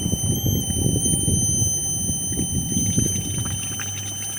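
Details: 2004 Lexus RX 330, no start: irregular gurgling and bubbling pops with faint whistle at the radiator neck as air pushed into the cylinder through the spark plug hole surges into coolant; head gasket leak, head likely warped, intake manifold possible.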